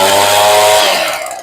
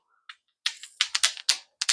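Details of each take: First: Echo PV2100 two-stroke blower after carburetor rebuild and high-side adjustment with limiters removed; crisp steady high buzz at speed then eases off smoothly, normal running. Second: Echo blower carburetor being rebuilt, part worked by hand: sharp dry little clicks in quick uneven bursts, meaning the part is worn out; pump diaphragm also bent and flaps not flat.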